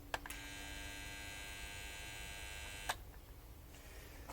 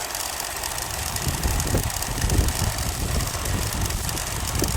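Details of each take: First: 1965 Bell & Howell 652 16mm film projector, found in the trash, at first power-up set to forward: steady electrical hum with a buzzy edge between two clicks and no mechanism turning; motor stalls, seemingly short of power, owner suspects the old capacitor. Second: Bell & Howell 652 16mm film projector from about 1965, first power-up after restoration; the motor smoked and was slightly seized, hand-turned then jump-started; now a steady, even mechanical whir with a faint low rumble, running freely.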